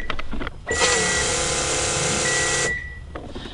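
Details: 1986-1987 Honda Civic Si with D16A1/ZC DOHC swap, newly fitted fuel pump, at key-on: steady electric whir about two seconds then cuts off cleanly; healthy fuel pump prime, fuel confirmed at fitting.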